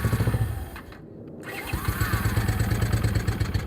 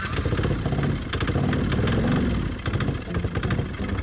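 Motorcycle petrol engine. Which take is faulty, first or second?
second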